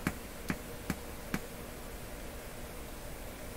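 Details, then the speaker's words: Telefunken Salzburg 5094W console receiver with two stereo speakers connected. DC voltage builds up on a channel output and is shorted out, giving four sharp pops then hiss. The coupling capacitors that should block DC appear leaky. "see there's a dc voltage building up here which i'm shorting out and you can hear it that's the other channel sounds a little different voltage building up here"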